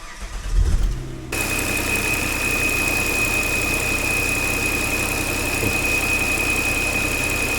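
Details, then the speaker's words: Volvo XC90 with the 3.2 petrol engine: steady high whistle at idle from a torn crankcase ventilation (PCV) membrane; pulling the dipstick stops the whistle and the engine shakes. "свист из под капота это у них состит вентиляция покажу как она свистит"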